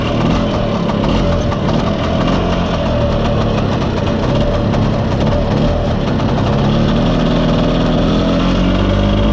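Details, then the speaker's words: Mostly original Spanish Lambretta Jet 200 two-stroke scooter on test drive: flat, muffled drone that never climbs in pitch and sounds choked, mid-range splutter; main jet too big, running rich. "we didn't have to go far to see how bad the carburation was so uh the main jet's too big for starters it just doesn't rev and it's got quite a bit of splutter in the mid range as well"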